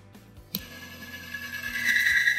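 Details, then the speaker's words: Daytona1 assembly-lube test rig with cam and lifters loaded and liberally lubed, at start-up: a high squeal builds quickly as the amp draw rises and the bearing fails, ruining the cam and leaving metal shavings. "you can see the amp gauge increasing rapidly, you can hear the bearing squeal and hear it fail."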